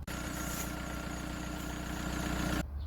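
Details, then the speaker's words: Idling petrol car: thin, steady squeal from the alternator/air-conditioning drive belt, replaced along with tensioner and tensioner roller 37,000 km ago, then cuts off; glazed, slipping accessory belt. "пищить ремінь привідний ремінь куртку кондиціонера-генератора при тому що я його Ось недавно якби міняв"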